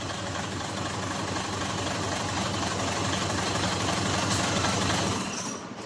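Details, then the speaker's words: Mitsubishi 6M70 diesel after injector work for hard starting: starts and runs with steady, even clatter about four beats a second, no misses or stumbles. "start okay nice and good guys start"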